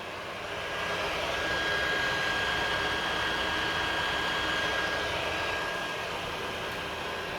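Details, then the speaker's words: PS4 Pro running about five minutes playing WW2, before cleaning; constant loud rushing roar with a thin steady high whine: cooling fan running flat out. "for about five minutes, turned on WW2 here and you Hear the PlayStation is too loud and in this video we're going to open up the PlayStation, Clean it and then see if it's quieter after cleaning it."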